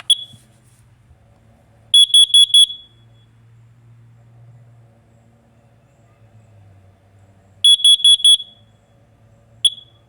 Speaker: so if you hear a three beep that's a that's a smoke if you hear a four beep carbon monoxide